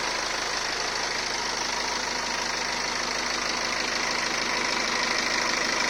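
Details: 2015 BMW 520d, 140 kW B47 diesel, 220,000 km, oil service every 30,000 km, at idle: fast, even metallic clatter over the engine; owner suspects timing chain noise, unconfirmed.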